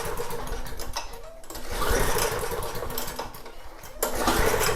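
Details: Snapper mower engine, long-stored with leaking fuel tank: quick pull-cord bursts spin it but it never fires, slowing each time; no spark even with new plug, plug wet, traced to grounded kill wire.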